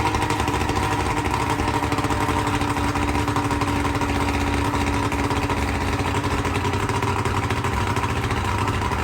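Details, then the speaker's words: 1995 Johnson 70 hp outboard with new CDI spark control units, plug wires and spark plugs, just started before warm-up: steady even burble with no misses, surging or knocking; idles smoothly and sounds healthy. "new spark plugs everything is new and it runs great I tried it out last night"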